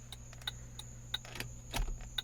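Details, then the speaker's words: Mercedes 300CD that sat 16 years, key on, new flasher module just installed: crisp single clicks about three per second over low electrical hum; normal turn signal flasher clicking, though a front bulb was burned out. "Do we have flashing? It seems we do. We definitely have clicking, that's for sure."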